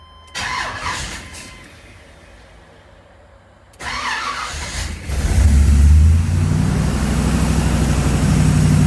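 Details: 1978 Corvette C3 restoration with newly installed FiTech EFI, ready for test driving and tuning: short crank, catches cleanly and settles into a steady, even V8 idle with no misses or knocks; healthy.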